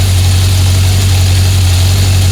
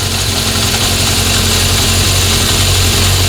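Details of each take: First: 1976 Honda CB750F1 four-cylinder during carburetor balancing (target idle 950–1000 rpm): steady, fast, even idle hum with no dips; idle rose after balancing the carbs and must be brought down. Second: 1976 Honda CB750F1 four-cylinder during carburettor balancing: after adjusting number 4, a loud steady low idle settles into an even unbroken beat; all cylinders now roughly level. A worn chain is noisy at idle but quiet at 2000 rpm.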